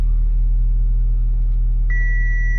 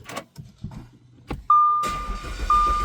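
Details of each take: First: 2011 Audi A5 2.0T after the P0016 timing repair, first start with coils reconnected and codes cleared: smooth, even idle with a dash chime partway through; normal idle. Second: 2011 Audi A5 2.0T with P0016 and a long-crank complaint, scope and oil pressure gauge attached: the starter cranks steadily for seconds with a chime ticking, but the engine never catches; extended crank, no start.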